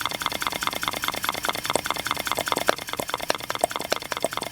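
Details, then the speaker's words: Miniature brass steam engine with displacement lubricators, valve audible: quick light chuffing clicks at about 97 a minute with an uneven, stumbling beat; it runs, but sounds a little off. "I put my finger on you can hear the valve going here it trying to this one here sounds a little off"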